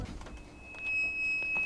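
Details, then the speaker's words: VAZ 2115, rear drum brakes before overhaul: a thin, steady high-pitched brake squeal lasting about a second, heard every day, over a quiet garage background; pads look normal. "Вот такой скрип я просто слышу каждый день."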